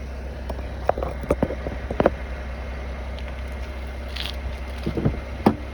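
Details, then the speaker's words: Cadillac CTS creaking and groaning from the front wheels when rolling slowly, only once the car is warm after about a five-minute drive, not when cold in the morning; cause unclear. Brake creaking. "Ça semble faire ça une fois que le véhicule est comme chaud. La première fois que je le prends le matin, quand je démarre, puis je sors de la cour ou je rentre dans la cour, je semble ne pas entendre ça."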